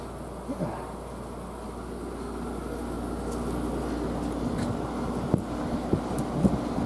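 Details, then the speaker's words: Newly installed garage mini split heat pump, running in cooling mode, heard outside at the outdoor unit: soft steady fan whoosh with low even hum, no rattles or scraping; quiet, normal fan operation. "Doesn't make a doesn't make a whole lot of noise, I'll tell you that."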